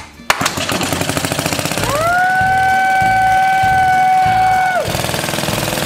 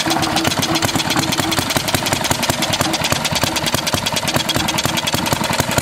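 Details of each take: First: 1936 Briggs & Stratton WM washing-machine engine after valve job and electronic ignition upgrade: steady, even putt-putt at about three and a half beats a second with a brief whistle; runs smoothly, sounds better. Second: 1936 Briggs & Stratton WM washing-machine engine, first start before valve job and electronic ignition upgrade: rapid single-cylinder popping with uneven gaps where firing strokes drop out; running but missing, owner suspects the points.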